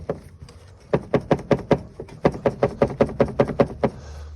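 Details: Lada Priora with a loose heater core knocking in quick hollow runs against its plastic housing. The fix is a new heater core wrapped in sticky tape so it no longer touches the housing or rattles.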